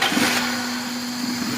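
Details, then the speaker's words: 2003 Toyota Corolla XLi petrol, won't start since clutch plates were installed; weak battery boosted from a tractor, cranked with petrol poured in: it catches briefly with a rough flutter, then dies as the fuel burns off. "ہے نا start ہو چکی ہے اچھا میں self لگاتا ہوں اپ ہلکی سی raise دیجیے گا بس اتنا ایک پیٹرول تھا جتنا جو ہے نا جل گیا"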